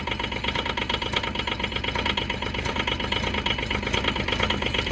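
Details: Develon DX10/E10 mini digger small diesel just started cold after sitting a long time: clattering idle with an uneven lumpy pulse about every half second, oil later found leaking; rough idle.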